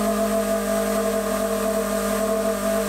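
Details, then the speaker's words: 8-inch/200mm bench grinder with wire wheel, after hub reducers and balance screws reduced imbalance: steady motor hum with constant tones and no throb, no longer walking across the table; bearing whine noted. Finding: smooth running. "But I switch it on, you can see it at least doesn't walk across the table anymore."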